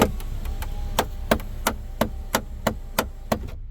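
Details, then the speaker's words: Hyundai/Kia panoramic sunroof glass rear drive motor skips with sharp cracking about three times a second over faint motor hum while trying to close; glass stays partially open, motor removed for inspection. "you can hear how it's cracking and feels like it's skipping feet so let's go ahead and take this one down try you can hear it yourself so it's definitely skipping the me trying to reverse it"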